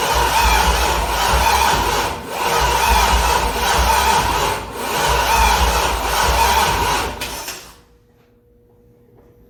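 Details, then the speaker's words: C6 Corvette with a junkyard engine on a Holley Terminator X, first start attempt: the starter churns in long rhythmic bursts, never catches, then stops. "So without that, you cannot actually start the car. It won't give power to the injectors, or some people say the coils."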